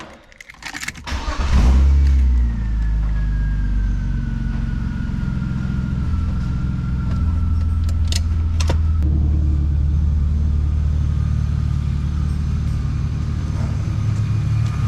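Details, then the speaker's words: 1999 BMW E36 328i just after replacement of the pulley, AC belt and hydraulic AC belt tensioner: it starts quickly and settles into a smooth, even idle with a steady low hum and no squeals; normal idle. "start car is running good huh running it's running good sounds good looks clean got new police on car's running good"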